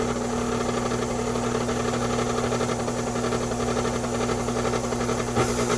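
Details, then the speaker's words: Vintage 40-year-old Hobart-made KitchenAid stand mixer running with a steady motor hum and a loose rhythmic throb of about two pulses a second; the odd noise comes from the motor and the cause is unknown. "all right so i bought this 40 year old vintage kitchenaid made by hobart it still works but it's making an interesting sound and i don't know what it is"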